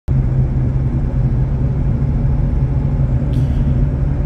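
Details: Chevrolet S10 pickup while driving: heavy, rough low roar holding steady; front hub bearing worn and nearly seized, almost locking the steering; exhaust manifold joint also blown.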